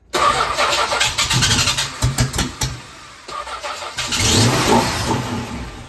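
The six cranks, catches and settles into an uneven, hunting idle with irregular lumpy pulses; a rough idle, cause unknown.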